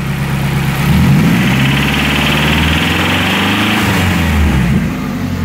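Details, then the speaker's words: Nissan 240SX idling: sounds even at idle, then dull irregular knocking appears on light throttle; suspected rod knock, though another person thinks it is top-end, so the valve cover is to be pulled. "i mean sounds good but then you give it a little bit of gas"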